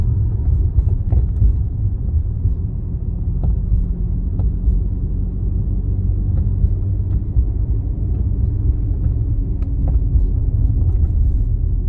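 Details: Mercedes W205, bagged, with SF Racing coil-overs, while driving: scattered sharp knocks over low road rumble. Source unclear, either coil-over clunk or dash rattle.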